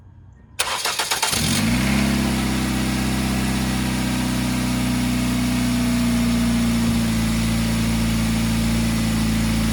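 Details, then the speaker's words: 1997 Ford Escort wagon, about 190,000 miles, Duratec, cold start: engine cranks, catches and idles with a raspy exhaust drone from a holed flex pipe; a knock heard is common on this engine until warm. "You can hear the exhaust noise. That's from the flex pipe. Flex pipe's got a hole in it."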